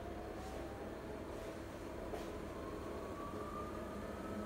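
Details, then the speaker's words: Siemens iQ300 washing machine (title: WG41A1X1TR, 9 kg, 1000 rpm; spoken as 10 kg, 1200) in its 13-minute spin program, rated at 72 dB on spin. It spins steadily at low speed, with a soft motor whine climbing in pitch before peak speed mid-cycle; normal. "Sıkma işleminin ortalarına doğru sıkma devri en yüksek seviyeye çıkıyor."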